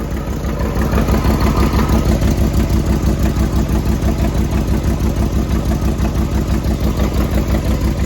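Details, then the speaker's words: 1994 Corvette (manual) after a radiator flush and core plug change: steady idle with a heavy regular knock about three times a second; owner suspects a loose exhaust. Cause unconfirmed. "It's the exhaust. I think we just have a loose exhaust, maybe."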